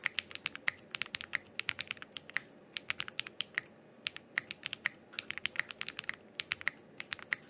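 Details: Thera75 keyboard with Zaku linear switches and GMK Laser keycaps, sound test after stabilizer troubleshooting: quick crisp even clacks at brisk typing pace, no rattle or ping; healthy, well-tuned keyboard.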